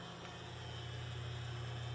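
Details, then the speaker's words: Circa 1936 Westinghouse Poweraire 10" table fan, restored, single speed with oscillation: steady low mains buzz drowning out the soft fan whoosh, blade slightly out of balance; electrical hum from shaded-pole motor, varnish breakdown suspected. "like I said that buzz is a lot louder than the fan itself is which is unfortunate"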